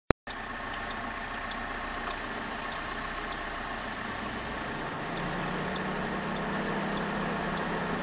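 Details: Renault F4R engine at a steady idle with faint sharp ticks about every 0.7 seconds above the engine hum; unexplained noise, cause not identified.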